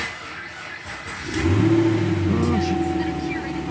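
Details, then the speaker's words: 2010 GM vehicle with 26,000 miles, dirty after Sick Week, with the hood open: a sluggish, dragging crank of about three turns a second, then it catches and revs; slow cranking, weak battery possible but unconfirmed. "Crank a little slow, for sure."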